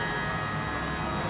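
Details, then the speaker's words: Toyota Prius electric A/C compressor under heavy load, doors open, duct air 43 degrees: steady high-pitched whine over a constant low hum, compressor working hard, normal. "I'm actually loading the system so it works hard you can hear the whining of the compressor that's listen listen carefully you hear that that wine is the compressor"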